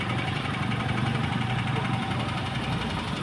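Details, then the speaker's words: Maruti Suzuki Ertiga petrol, after replacing left front strut top mount bearing: engine idles steadily while steering turns, with no clunk or creak from front suspension; noise gone, steering rack not replaced. "चलो अब कोई आवाज नहीं है ना shocker में है क्योंकि बेरिंग हम डाल चुके हैं सोकर का"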